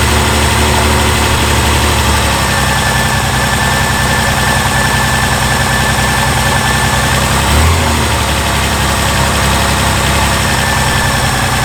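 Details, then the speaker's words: Reliant Scimitar (Ford engine) after tappets adjusted to spec, oil topped up, plugs cleaned: steady idle with light, fast metallic top-end ticking, characteristic Ford tappet rattle still present; exhaust gasket suggested but sounds more metallic; cause unconfirmed. "the noise is still there hopefully you guys heard it in the camera now um it definitely does sound like that characteristic Ford tap rattly noise"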